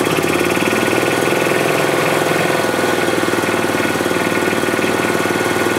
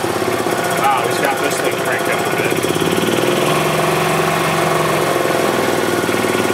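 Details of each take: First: 2007 Club Car Precedent gas golf cart engine after fuel pump/gas-in-oil repair; rough, uneven pulsing start-stop running on pedal; governor out of adjustment, throttle opening before engine starts, prone to backfiring and jerky starts. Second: 2007 Club Car Precedent gas golf cart after oil change and new fuel pump (fuel had been found in the oil): steady even putter with no misfires, running well; revs start and stop because the governor is out of adjustment.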